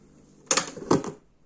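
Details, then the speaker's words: National RX-C46F cassette deck under repair: two sharp mechanical clicks about 0.4 s apart in a quiet room as the auto-stop trips prematurely on its own; rewind capacitors also noted as noisy. "хотя вот это мне не нравится автостоп срабатывает даже"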